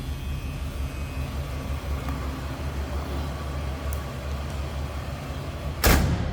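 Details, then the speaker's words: 1978 Cadillac Eldorado Biarritz, same family since new, idling and heard from the rear: a low, steady exhaust rumble with an even beat and one sharp handling bang near the end; normal, very stock-sounding idle. "It sounds as you'd expect. Very stock sounding."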